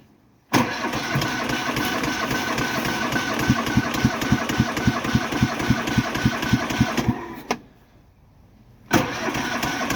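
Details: Cub Cadet Series 2000 riding mower cold start after sitting eight months on a trailer, battery just reconnected, little fuel in tank: long rapid cranking chuffs, engine stalls and cranking resumes without catching; hard starting, cause unconfirmed.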